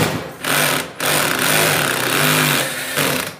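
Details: Samsung WF106 washing machine in the spin cycle, loud rumbling surges and a wobbling thump every second or so with drum swaying; worn drum bearing and seal suspected.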